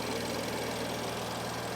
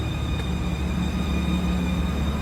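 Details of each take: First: BMW idling after valve cover and PCV replacement, fuel rails primed after lines were disconnected: smooth, even idle with a steady low hum, no ticking, knocking or hunting, no fuel leaks; job successful. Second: BMW idling before the valve cover is replaced: even idle with a thin, steady high-pitched squeal holding its pitch. PCV valve squeak from the failing valve cover.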